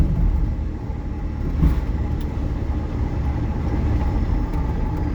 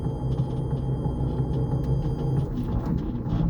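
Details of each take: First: Electric-converted MG Midget with new replacement motor and throttle, driving forward after install: soft road rumble, no whine, clunks or jerks, smooth and quiet; motor stays cool at about 16C ambient, while reverse gear grinds and is jumpy. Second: MG Midget electric conversion with a newly installed replacement motor, driving in reverse: low rough gritty growl while the motor stays quiet, smooth going forward; grinding in reverse gear, owner suspects transmission damage from the earlier motor failure.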